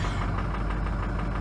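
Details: Ford F350 6.0L Powerstroke diesel at about -20°C, plugged in overnight, after replacing injectors with Ford reman units to fix hard cold starts and poor idle: fired right up, even clatter about ten crisp ticks a second, smooth healthy cold idle.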